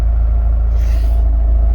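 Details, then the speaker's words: Jeep Wrangler, after a bi-directional scan tool raised idle to about 1200 rpm and the test was stopped: a deep, even rumble with steady firing pulses and no misses or knocks as it returns to normal idle. "Okay, let's stop. Goes back to normal idle."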